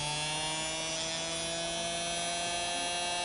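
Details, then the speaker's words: Singer Model 221 Featherweight sewing machine motor after rebuild with new brushes and greased wick tubes, run slowly on the pedal: smooth, even whir and steady hum, no knocks or scraping; sounds snappy and healthy. "okay i've got the old pedal rigged up to it here and i'm just going to try it out here slowly oh snappy huh"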